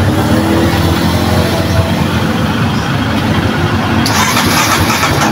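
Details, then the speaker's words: Kawasaki KLX 230 fuel-injected motorcycle that would not start, after checking battery, spark and fuel pump: loud ragged cranking catches right away and settles into a strong, steady single-cylinder run; it starts cleanly. "yan umaandar na mga friend yung ating kx 2 painitin m natin ng konti yung ating makina"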